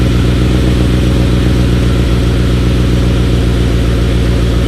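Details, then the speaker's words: Talon on E85, cold start at about 52°F after sitting two months, started a little harder than expected: steady low thrum with even pulses about four per second, no knocks or ticks; healthy cold idle. "Started up a little harder than I expected, but E85 and 2 months of sitting. It's nice to hear it again, though."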